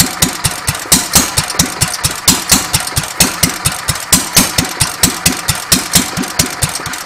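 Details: Petter A1 stationary engine after timing setup, running without exhaust: sharp, even unmuffled pops at a steady rhythm, no misses or knocks; running quite well.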